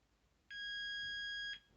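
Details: After repairing the gas valve on a Carrier Weathermaker gas furnace, a single clean high continuity beep holds about a second with no flutter.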